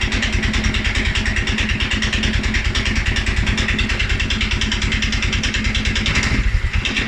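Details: 2011 Polaris Sportsman 550 XP after a ride or a couple of revs: single-cylinder thumping at a low, slightly lumpy idle; EFI sensors, valves, timing, plug and 43 psi fuel pressure checked good; low rough idle, cause unknown.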